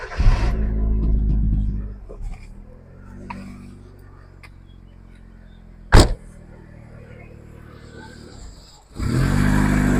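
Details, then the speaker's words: Hyundai Accent with a brand-new alternator and all connections checked: the engine runs briefly, dies after about two seconds, a sharp click follows, then it fires again. It stalls once the battery is disconnected, and the cause is unidentified. "They running. So when I turn the thing off, it shuts off. I don't understand why it's doing that."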